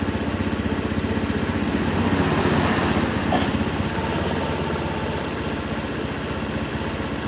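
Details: Honda Beat scooter after TPS check and throttle body cleaning, idle being set around 1500–1600 rpm: steady, even putter with evenly spaced pulses, no misses or knocks; idles cleanly.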